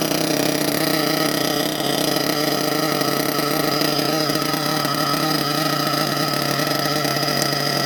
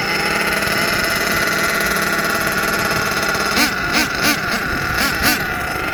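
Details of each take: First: HPI Savage XL nitro monster truck with Twinzilla twin-engine kit, both motors brand new: high, steady buzz holding one even pitch with no wavering or beating, synced after linkage setup; low speed needles not yet adjusted. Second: HPI Savage XL twin nitro truck with Twinzilla kit: high buzzing nitro whine surging and dipping in uneven pulses as the two motors fight; motor 2 out of sync, unmatched RPMs, before throttle linkage setting and tuning.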